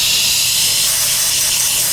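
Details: Air compressor tank with motor off: constant sharp hiss of air escaping from the leaking automatic pressure (cut-off) switch, bleeding the tank down.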